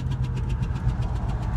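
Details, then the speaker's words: 1999 Ford Expedition 5.4 Triton V8, spark plug blown out of cylinder head: rapid regular puffing chuffs, about seven a second, over a rough low idle. "that's what it sounds like when your Tron engines spark plug blows out"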